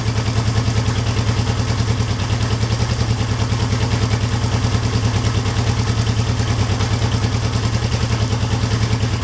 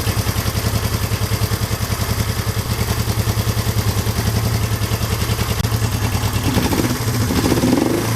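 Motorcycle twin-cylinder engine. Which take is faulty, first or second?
second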